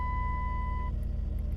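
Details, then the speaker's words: 2008 Dodge Grand Caravan 3.8 L, about 240,000 miles, after replacing flattened motor mounts that used to rattle the steering wheel: steady low, even idle pulse, no shake or rattle; super smooth normal idle. "I can feel it's nice and smooth pretty amazing actually like before it could actually like rattle a steering wheel and everything else like now it's like super smooth"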